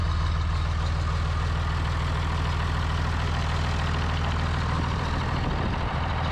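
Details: Steady, even low diesel clatter at idle with no misses or knocks on a John Deere 3350 tractor after its head gasket was replaced (combustion gases had been entering the water jacket); running smoothly.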